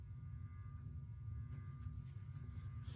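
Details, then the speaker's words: Menards 42-inch hugger ceiling fan, new in box, on low speed: steady, really loud motor hum with a faint buzz and vibration, plus another noise each time the motor hits a certain point; cause unknown, possibly something vibrating. "All right, let's start the fan up on low speed. Don't know if you can hear it, but I certainly can. It is pretty loud."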